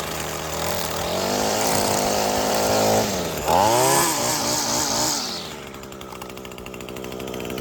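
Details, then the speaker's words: Echo SRM-225 two-stroke string trimmer, bought non-running, now cutting: high wail rising and dipping cleanly with throttle, then settling smoothly; no bogging or misfire, running well. "Yep, and just like that, we got a good working Echo string trimmer."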